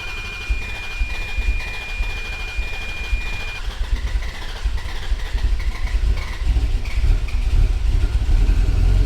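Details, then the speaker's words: Exotic car after the intake manifold was pulled again and a leaking doubled gasket removed: after long cranking the engine catches and settles into a steady, even run that builds slightly, with no hiss or stumble. Normal running after the fix. "No explosions! Yay! Yay, it's fixed! Hooray!"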